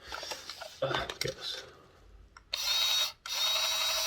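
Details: Hornby Class 142 Pacer model railcar motor bogie: steady, high-pitched whir with no rattle, tick or grind. This bogie runs smooth.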